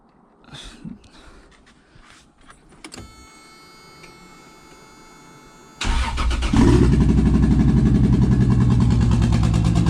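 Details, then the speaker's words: Toyota 2JZ swapped into a 4Runner, first start after install: cranks, catches and holds fast idle around 1900 rpm with an uneven stumble, down about two cylinders; misfire from injector adapter connectors not making full contact. "sounds like it's got a [Music] [Music] misfire running"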